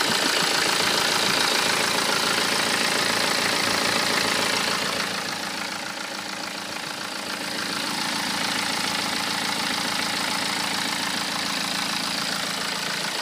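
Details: 2008 BMW 118d E87 phase 2 diesel, 120,000 km, at idle: even, fast bright metallic clatter about four times a second; owner suspects the known series fault, chain noise or abnormal metal noise.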